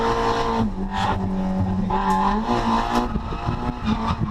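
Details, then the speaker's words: Drift car on track after dyno retune (140 kW, about 100 hp gained) and new fuel pump, revving to about 7000 rpm: engine pulls cleanly through rising and falling revs with tyre squeal, no misfire or stutter, healthy. "And as you can hear, the car sounds so much more happy with the uh with the new fuel pump and that retune."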